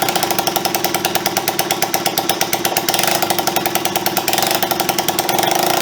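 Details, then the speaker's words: Honda CB125S after engine restoration and carburettor refit, first kick-start in years, timing possibly slightly advanced: quick, regular single-cylinder firing pulses holding steady with light throttle; runs evenly. "oh he's making noises"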